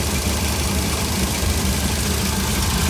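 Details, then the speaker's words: 1966 Cadillac 7-liter V8 with Holley Sniper EFI, IAC unplugged (ECU not controlling idle): low, even idle with a steady rumble, only slight bounce and no hunting, as smooth as it gets. "s as smooth as this Holly gets that's just smooth as it gets that bouncing right there for me anyway on this on this seven liter motor I'm happy with this if it bounces that much I'm happy"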